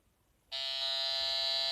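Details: Home-built Pirat pulse-induction metal detector, both regulators turned to maximum resistance, still gives a constant shrill buzzing false-signal tone on switch-on; coil wound from twisted-pair cable. Power converter is commonly blamed, but this is disputed.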